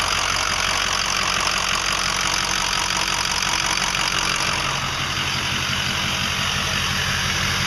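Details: 2005 Ford 6.0L Powerstroke diesel at idle with an uneven clattering tick about four knocks a second, worsening, started within 80-100 miles after 8 reman injectors, new fuel pump, filters and oil change; owner suspects bad harness, FICM or injector(s), unconfirmed.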